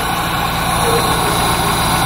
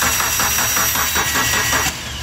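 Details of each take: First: Dodge Neon that wouldn't start after an oil pressure switch replacement, now running after a loose connection (false contact) was fixed; steady even idle with a smooth low hum, no misses, knocks or ticks. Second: Dodge Neon that arrived running but won't start after its engine oil pressure switch was replaced: quick, even cranking pulses about five per second for two seconds, then stops; starter spins freely when fed directly, relay circuit under test.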